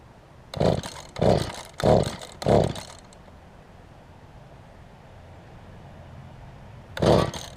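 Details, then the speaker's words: Mantis tiller during carburetor low/high adjustment: engine bursts into revs four times, under a second apart, stalls to near silence, then surges once more; won't hold a steady run, poor running, adjustment didn't help. "Whatever I did there didn't work very well, I know that."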